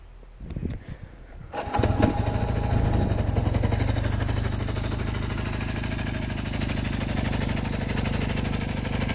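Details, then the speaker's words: 1974 Kawasaki KZ400D1, serviced with new battery, rebuilt carburetors, new points, condenser and adjusted valves: brief crank, fires near two seconds and settles into a steady, even idle; healthy start. "it runs rides and shifts very smoothly through all of the gears just check out this piece of History it's lovely let's go ahead and fire it up and see how it"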